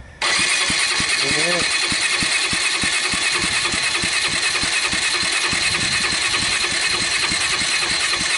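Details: Kawasaki Bayou 220 ATV, low compression traced to valves adjusted too tight, cranking on electric starter after loosening the intake valve lash: starter whirs with strong, even huff-puff pulses about three per second; compression now normal.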